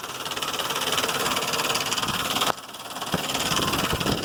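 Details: 2005 Ford Explorer 4.0 idling with fast uneven bright metallic ticking, about three per second, on top of the engine; owner suspects lifters or timing chain, unconfirmed.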